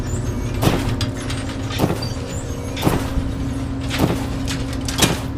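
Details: Samsung dryer with a squealing and thumping complaint: the drum rumbles with a steady low whine and a heavy thump about once a second from worn drum rollers, which need replacing.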